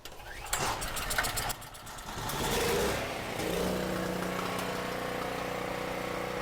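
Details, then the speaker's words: Cheap non-running generator with about 38 hours, running after throttle linkage hooked up: cranks with rough bursts, catches, then settles into a steady even drone with stable low hum; runs normally. "Well, sounds to me like that thing runs great."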